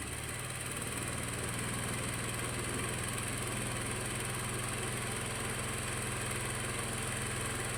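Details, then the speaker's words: Honda Vario carburettor scooter, piston and oil pump replaced 3 months earlier, noisy again, after reassembly: light fast metallic ticking over steady idle with smoke; slap from a scored piston. "Cuma ini masih ada suara kemelitiknya teman-teman, karena ini dari suara piston yang baret ya."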